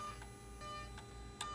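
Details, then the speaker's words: Mercedes R320 3.0L with boost pressure regulator and charge pressure too high code: turbo actuator makes sharp, evenly spaced clicks over steady engine hum when actuated with a scan tool; wiring good, failing actuator with worn gears to be replaced. "you hear the noise you hear the clicking sound so every time I press so when I press F4 nothing happens"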